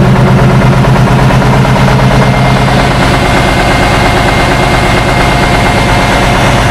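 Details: 1976 Tatra 813 air-cooled V12 truck, restored after 20 years unused with new hoses, seals, oils and filters: loud deep steady idle with even low pulsing, no stumbles or knocks; normal idle.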